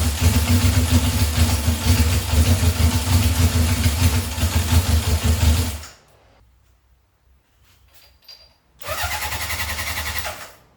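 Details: 1978 Honda CB750 K8 first start after starting/ignition troubleshooting and carburetor install, booster on battery, temporary fuel supply: quick even firing pulses, drops out a few seconds then catches again; starts and runs fine.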